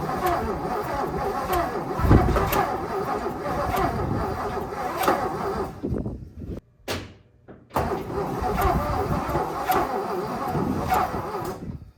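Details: 1957 Lincoln Premiere: long stretches of slow, laboring starter cranking with a brief pause, engine never catching. Crank, no start; owner suspects weak battery, weak starter, a stuck, probably bent valve and a severely sticky distributor.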